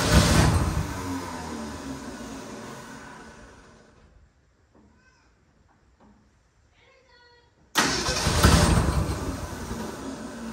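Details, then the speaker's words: 1967 Ford F100 that sat 28 years, started on a spritz of fuel. Catches with a rough rumbling burst, dies nearly silent, then fires strongly again for a few seconds; it won't idle yet. "All right, so we have a runner. So now what we're going to do is figure out how to make it idle, not just start for a second."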